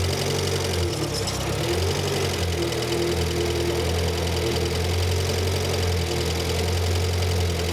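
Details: Renault 5 Gordini Turbo (Alpine Turbo) classic in the workshop, idling steady and even with a smooth low beat and no misses or hunting after the idle mixture screw was tried richer, disliked, and screwed back to where it's happiest; normal idle.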